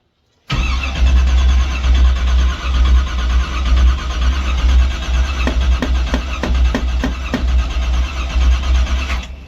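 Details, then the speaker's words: 1984 Camaro Z28 350 V8 on a cold day: steady labouring starter churn cranking for seconds without catching; long crank, no start, owner suspects it may be flooded. "Oh, she might be a bit flooded now. Well, oh well, let's keep cranking her."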